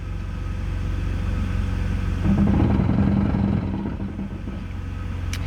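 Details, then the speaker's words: 2001 BMW 330Ci donor car (M54B30, ZF 5-speed manual), idling with brake applied as clutch is released slowly: steady idle rumble turns into a rough rattling groan with low drone on clutch engagement; cause unknown, owner fears transmission damage. "I've got my foot on the brake and my foot on the clutch I'm going to let my foot off the clutch very slowly and we should be able to hear that"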